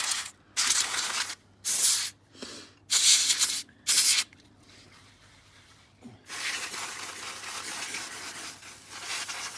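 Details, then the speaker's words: Compressed-air duster can used to clean dust from a Z97 4790K PC after two years on the floor: short sharp hisses, then a quieter, thinner spray as the icy-cold can loses pressure and needs to warm up. "I need to give that a break to warm up. You can hear there's hardly any pressure in that, so we'll let that warm back up and work out the next step."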